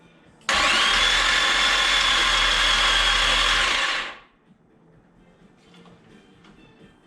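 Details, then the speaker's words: Boosted 3.0L boat engine in a Chevrolet S10, cranking after priming (55 oil pressure): a harsh high grinding whir for about 3.5 s; metal flakes were later found on the starter teeth, suspected of hitting the bell housing. "vibrating i'll pop it off and see if it's hitting the bell hosing or something"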